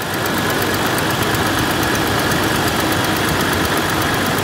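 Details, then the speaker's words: 1996 Jeep Cherokee XJ six-cylinder after new spark plugs, plug wires, distributor cap and rotor: steady even idle with a light regular tick, no stumble or surge; running healthy. "right up and working great."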